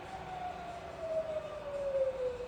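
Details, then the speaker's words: Rebuilt Bridgeport milling machine head in high range, spindle slowing from 1200 toward 500 rpm: smooth steady tone gliding lower, no knock or grind; normal slowdown. "Okay, so you can hear how quiet the head's running. It's really, really smooth."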